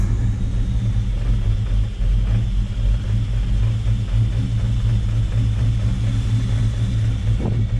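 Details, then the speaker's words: Built 5.0 Mustang GT, sat two years, running after ground fixes and a battery charge; deep, steady V8 rumble with no misses or knocks; normal idle. "Well, it's running. Looking good."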